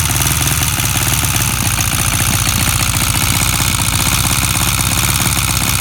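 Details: Honda CB 400 motorcycle at steady idle: fast, even light ticking that doesn't fade, seemingly from the top end; owner asks if it is engine ticking, cause unclear.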